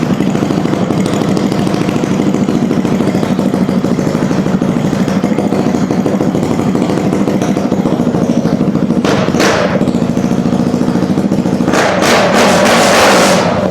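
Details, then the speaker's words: 2004 Yamaha YZ250F single-cylinder after engine rebuild, fresh oil, carb and exhaust refitted, run briefly with no coolant: crisp, even idle thumping with a couple of throttle blips; runs cleanly, normal. "We're not going to run her too long because there's absolutely no coolant in it. But it is alive."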